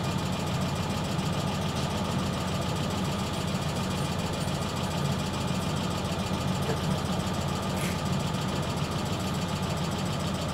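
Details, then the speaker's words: Idling with air conditioning on: fast, even light ticking riding over the low hum throughout; source of the clicking not identified. "yeah that's a funny clicking"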